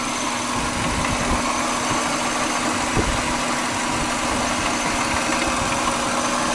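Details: 1999 Subaru Legacy Outback wagon, EJ25D 2.5L DOHC, 374,200 km, idling: steady buzzy note with slight shake and an occasional deep knock from the rear driver's side, idle only and intermittent; engine also idling rough and vibrating more lately. Cause unknown.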